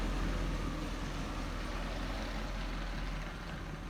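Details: 2003 Hummer H2 6.0 L V8 idles with steady deep low rumble, no exhaust ticking, after broken exhaust manifold bolts leak repaired with clamps on both sides.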